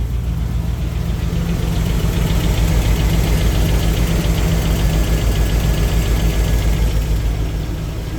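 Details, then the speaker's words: 2003 GMC Yukon XL, cold start after sitting a week, just after an oil service: steady idle with a light, even tapping over the low rumble at about three or four a second; lifter tick. "Oh, see, hasn't been started up for a week. I know. Got some lifter noise, so we'll see if"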